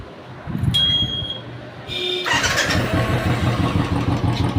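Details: 2013 Royal Enfield 350cc single-cylinder bike starts and settles into a thumping idle with a light, fast tick on top: rocker tappet ticking, heard before the seat and tank are removed to reach the rockers.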